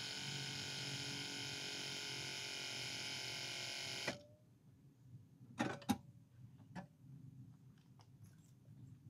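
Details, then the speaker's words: Normal ABS actuator pump on a 100 Series Land Cruiser: with key on and brake pumped a few times, the electric pump gives a steady low hum for about four seconds then stops; costly part, about $3,000 to replace. "So that's the sound we should hear. We turned the key on and pumped the brake a few times, and that pump kicked in, electric pump kicked in, and you can hear that low humming noise. That's what we want to hear."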